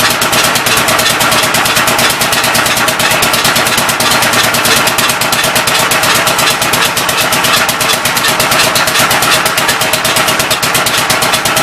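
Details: Old engine's first start attempt on a temporary coil ignition: rapid, ragged popping near three beats a second with a hissy, spitting edge on each stroke. The intake valve appears to be leaking but is not hanging open; the owner plans to lap the valves.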